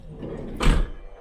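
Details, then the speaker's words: VW Transporter T6 camper passenger sliding door retrofitted with genuine VW soft-close power latch wired to BCM: soft thud as pivoting striker latch motor draws the door the last bit shut; soft-close working normally. "so you probably heard it there and i'll just do it one more time over here you'll probably hear the motor working as well"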